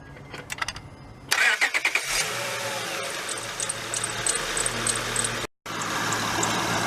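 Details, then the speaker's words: Car engine started just after refitting the drive belt; short high squeaky chirps on cranking and light chirping at idle, owner suspects drive belt, eased after 5–10 minutes running; cause not confirmed. "Freaking let y'all listen to that goddamn squeak again. I don't know why, it's just like, it's not bad, it's just like annoying and kind of embarrassing, I guess."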